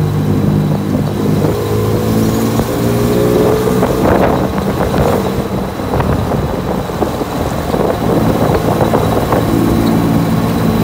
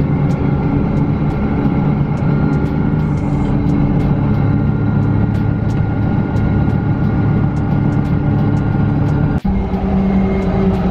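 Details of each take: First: Manual-transmission car while driving: an uneven rattle under throttle in all gears that stops with the clutch pressed or in neutral and isn't heard when parked. Transmission was suspected; the cause was a worn driveshaft universal joint, since replaced. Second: Five-speed manual pickup on the freeway after replacing a worn U-joint that caused a rattle under throttle in all gears: a steady, even road and engine drone with no shudder or thump. The driveshaft now runs smooth, and the transmission was not the problem.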